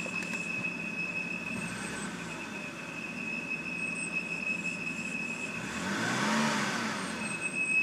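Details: 2007 BMW 328i sedan, automatic, parked at idle: steady teapot-like high whistle over idle that fluctuates around 600-700 rpm and swells as revs flutter and jump on braking; it stalls when stopping; crankcase vent valve suspected, unconfirmed.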